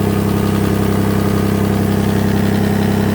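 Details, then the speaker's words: 2003 Toyota Highlander 3.0L with 154,000 km at idle: loud, steady running with a rapid, even puffing chuff from several exhaust leaks, including inside the catalytic converter heat shield, so the converter is likely rusted through. "got a number of exhaust leaks it's leaking from inside this cataly invert Shield so the converter must be rusted through"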